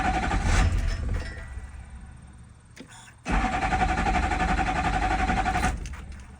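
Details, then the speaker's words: 2005 GM LLY Duramax diesel with water-damaged fuse box, new 790 CCA batteries: starter cranks, engine fires briefly and dies, cranks again; owner suspects VATS/Passlock anti-theft cutting fuel. "it is firing up and dying right away like maybe three ugas it'll and then shut right back off so I'm thinking it could be a vat's problem"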